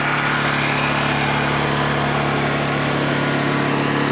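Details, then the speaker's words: Honda EU2000i generator, started cold, microphone facing the exhaust: steady, even low hum with no pinging or surging; running smooth and quiet. "It is definitely not loud. That is the direct exhaust right there. It doesn't get any louder than that."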